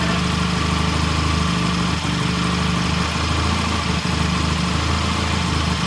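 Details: 1968 Triumph T100 twin with a new battery, after cleaning the pilot jet (set to 1 1/2 turns) and raising the idle slightly: steady, even idle beat with no misses, knocks or hunting; nice idle and good rev.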